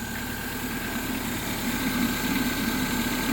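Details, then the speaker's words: Petrol car idling: lumpy, unsteady idle with a faint thin whistle on top; owner suspects a vacuum leak, cause not confirmed. "I'm not going to lie. Kind of sounds like a vacuum leak."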